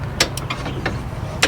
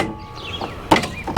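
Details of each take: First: Toro Timecutter riding mower with swapped engine at key-on: sharp irregular clicks over a low hum from a faulty, partly failed brake control module still wired to brake, seat and fuel solenoid circuits. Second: Toro Timecutter riding mower repowered with a John Deere 24 hp engine, seat switch bypassed: two sharp metallic clacks with the engine off as the electric PTO blade clutch pulls in cleanly; clutch engages normally.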